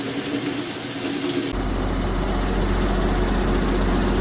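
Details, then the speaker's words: Sears Kenmore Elite Oasis top-load washer after drive shaft and drive bearing replacement: spins up to a steady low hum in full spin cycle with no jet-engine whine, a healthy spin. "there it is in full spin cycle so you can hear no jet engine whining noise or anything like that so looks like everything's good it works perfect now"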